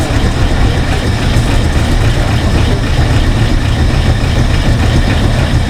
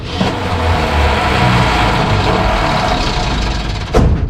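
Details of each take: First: 1968 Ford F100 small-block V8, out of a junkyard after 12–13 years, first start with no radiator fitted: deep, steady, even idle with no knocks or misses. Sounds good; shut off when transmission fluid started leaking. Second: 1968 Ford F100 small-block V8, out of a junkyard after 12–13 years, cranking: heavy, ragged cranking with a sharp pop as it spits back without starting. Suspected wrong firing order, not confirmed.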